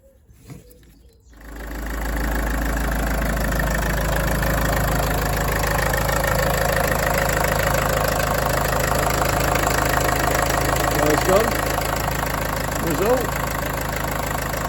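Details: Land Rover Freelander 2 diesel after refitting the belt and replacing the seized alternator pulley: catches after a short crank and settles into a smooth, even idle with no squeal or chatter from the belt.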